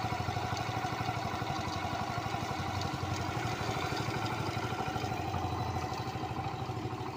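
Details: Honda Pop 100 single-cylinder at idle: a steady light clatter, roughly three ticks a second, over the exhaust beat; cause unclear.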